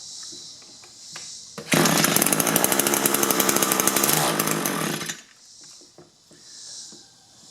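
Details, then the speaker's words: Echo two-stroke hedge trimmer, nearly new, fitted with a replacement engine after being run on straight gas: snaps to a high buzzy run for about three seconds, then drops back. It runs only on choke and dies when the choke is moved. "Well, that's not very encouraging. Yeah, move the choke lever and it won't run. They actually told me they did a hedge trimming job running it on choke."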